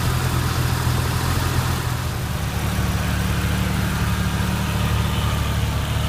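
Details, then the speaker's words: Jeep Cherokee XJ that died, crank position sensor replaced, fault isolated to the ignition coil; after the new MSD coil is installed it shows normal idle, an even, steady low idle with no misses, stumbles or knocks. "She's running. Oh man, I couldn't be happier. This thing's running kind of smooth too."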